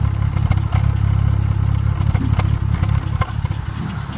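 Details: Seat Ibiza 6L engine at idle: steady rumble with sharp ticks about two or three per second on top; abnormal noise, source unclear.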